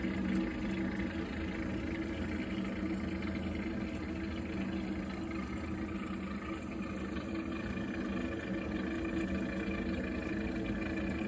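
Steady low droning rumble with a throaty hum, continuous and unchanging as the boiler heats water; an abnormal combustion or fan rumble.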